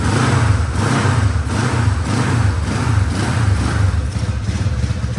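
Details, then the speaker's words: 1970 Honda CB450 barn find parked 20 years: uneven, lumpy idle with lopsided beat and periodic surges; misfiring on one cylinder whose points/ignition timing was disturbed, needing timing with a timing light. "The bike did start, but it was misfiring on one cylinder, and that was the cylinder that he actually messed the timing with."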